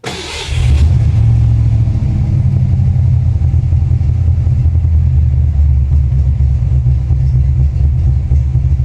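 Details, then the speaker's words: 1989 Ford Mustang GT Fox body V8 from salvage auction with major low compression; catches then settles to deep lumpy idle with missing beat, running on five cylinders yet holding idle. "even running on five cylinders [Music] she still runs relatively well and can hold an idol"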